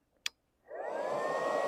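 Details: Faiuot 110V handheld IGBT inverter stick welder, 6 variable current settings, switched on before welding: single click, then the cooling fan spins up into a steady even whoosh with faint constant hum; healthy cooling fan.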